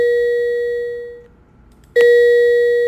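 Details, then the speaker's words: Tesla speed limit warning chime, played when exceeding the navigation speed limit: two clean "ding-dong" tones on the same pitch about two seconds apart, over near silence. "" 딩 ," " 동 " 하는 소리 가 나는데 , 이는 현재 과속 중임 을 알려줍니다 . 과속 하고 계십니다 . 그게 바로 알려 주는 소리 입니다 ."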